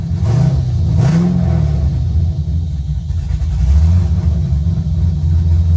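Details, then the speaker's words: Car with no tune, reassembled after a bell-housing fluid leak, suspected off-center rear cover: loud open-pipe rumble with two throttle blips, settling to a steady, even idle; it only needed gas pedal to start. "Has no tune, so we had to give it a little bit of gas pedal to get it going. And once you got it going, it would go."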